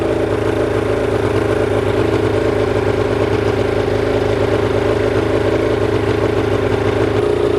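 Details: Old Evinrude two-cylinder outboard, premix oil, dual carburetors, single ignition coil: buzzes along at steady idle with no misses or knocks, running evenly; normal running.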